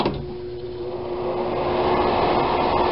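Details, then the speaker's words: Repaired old bathroom exhaust vent fan running: steady even hum with soft airflow whoosh, no rubbing or rattle; normal operation. "just listen to that nice hum of a fan"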